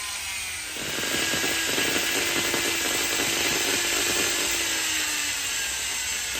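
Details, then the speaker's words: Electric polisher (mop) motor running rough after a broken wire was rejoined: wavering, sagging whine under a scratchy, uneven rasp, then a burning smell; owner suspects the stator is worn out. "oh oh it doesn't sound good oh no don't"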